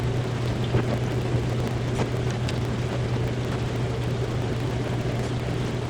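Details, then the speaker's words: Used Amana ADB1400AG dishwasher, test run after installation: even low hum with water swishing, no grinding or knocking; runs normally, drains, no leaks. "Alright, so we went through the test run, drained out, no leaks anywhere."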